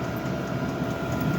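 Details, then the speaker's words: Diesel-powered heater installed inside the cabin of a Nova kit car: steady turbine-like whir with soft fuel-pump ticks about twice a second, pump rate varying with heat setting; heater running normally. "You can hear the noise. It's a bit like a turbine engine. You can also hear the clicking of the fuel pump. It's a tick, tick, tick."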